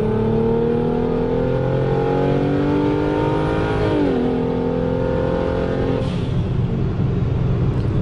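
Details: BMW swapped from Precision 6466 to BorgWarner S366 turbo, windows up: engine pulls hard with a whistle climbing over the exhaust, dropping at the gear change and building again; healthy turbo spool, louder whistle than before.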